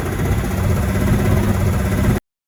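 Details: BMW 7 Series E65 with M57N diesel, recorded at idle and while driving: deep repeating knock keeping time with the engine, heavier than injector tick; caused by a worn connecting rod bearing shell on cylinder 5.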